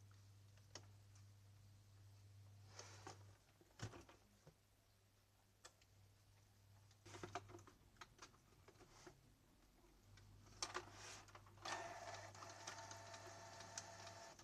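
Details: Canon G2000 inkjet printer after regreasing its dried-out print head carriage and gears with white grease: soft carriage and feed sounds over a low steady motor hum, no grinding or squeal; now prints quietly.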